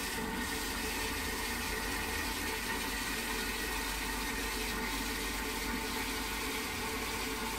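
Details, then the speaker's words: Post-1945 STOM Cardiff 146 cistern before restoration, not yet flushed: a steady, nonstop hiss of water trickling in with no pause, as the failing float valve never shuts off. "But as the float valve is failing, you'll soon work out why it works this time. You can hear it hissing and non-stop."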